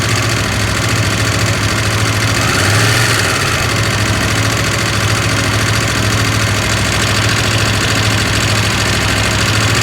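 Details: KTM 890 Adventure R idling: loose, uneven rattle at about three per second over the deep twin idle; owner asks if normal, rattle gets quieter when riding, source unclear.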